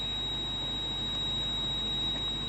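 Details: Steady high-pitched warning tone in a quiet cabin of a 170-series Toyota Crown Majesta (1UZ-FE V8); failed ABS pump, low accumulator pressure.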